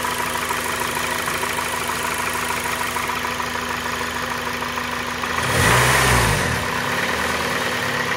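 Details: 2004 Acura RSX Type-S idling with a deep knock of about three to four per second that persists through a rev blip. Possible rod knock; the owner will try thicker oil and plans a replacement engine. Unconfirmed.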